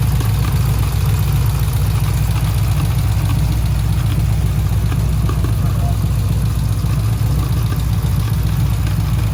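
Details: Daytona V8 with black, low oil 3,000 miles after a change: a lumpy idle with a loose, uneven knock about three to four a second; owner suspects a rod knock, unconfirmed.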